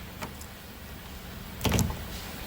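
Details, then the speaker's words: 2019 Toyota Camry Hybrid driver door during repair of a badly installed door handle: two quick crisp clunks about 1.5 s apart, no grinding or buzzing, door lock actuator working normally. "if you can hear so this system is all good now"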